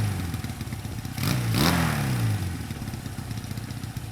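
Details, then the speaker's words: Twin after fixing high idle: top-cap adjusters tightened so both carb slides start moving together. Blips once, drops back promptly to a steady, even idle without hanging; normal idle. "So after making sure that both slides started moving at the same time, this is how it ran."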